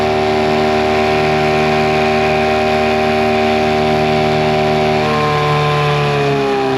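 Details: Mercury 9.9 hp two-stroke short-shaft outboard, believed early 90s, after years sitting, with an upgraded carb and plugs. At lake top-end speed under load, a steady high-pitched drone holds even, its pitch shifting slightly, no stalling; normal full-throttle running.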